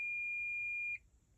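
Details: Klipsch R-10SW subwoofer with constant thumping: while checking the MOSFET, the multimeter gives a steady high continuity beep for about a second then stops, showing a dead short across the part.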